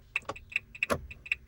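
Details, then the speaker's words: 2017 Renault Master van: indicator clicking noticeably faster than the normal rate, steady quick ticks; hyperflash heard for about a month, usually meaning a bulb is gone. "and fast. Now that normally means that there's an indicator bulb gone."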